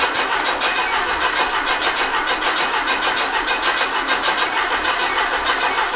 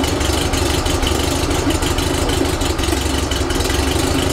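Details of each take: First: Rebuilt 1835cc air-cooled engine for a bus, first start after rebuild, good oil pressure and fuel confirmed: brisk, regular cranking that never fires; no spark found. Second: Rebuilt 1835cc air-cooled VW flat-four bus engine with vintage speed muffler, first start after rebuild, not yet tuned: steady, even idle with a low throb, no knocks or misses; ran with no real problems.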